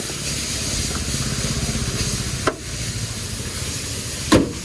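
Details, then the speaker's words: Hyundai i10 engine idling, heard outside with the bonnet closed after a noise fix (water pump/alternator suspected): low, steady, even idle with faint hiss, no knocking, ticking or whine; engine quiet and healthy. "तो देखिए अब अपनी गाड़ी ने जो है start है अब बिल्कुल भी साउंड नहीं आ रहा है बाहर इंजन एकदम साइलेंट हो गया"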